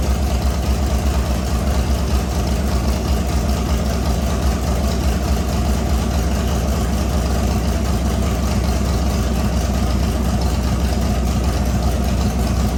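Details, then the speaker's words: LS V8 swapped into an S197, rebuilt with a new crank and bearings, on its first start with no coolant yet. A strong, steady, low burble with an even cam lope and no knocks or misses; a healthy fresh engine at normal idle. "so as you can hear sounds really good obviously when the rpm died down a bit it's when the motor started trying to learn how to run itself and what not"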